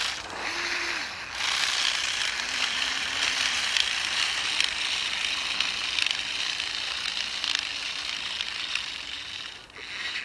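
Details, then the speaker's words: Spiderbot RC robot with brushed motors on a 20A ESC, driven off-road: rapid, sharp, uneven clicking about four per second as the teeth skip. The original gear on the unrepaired side stripped; the thinner replacement gear on the other side held. "yeah I think that's it I think we've already killed that new gear oh dear it was never designed to do this sort of off-road stuff"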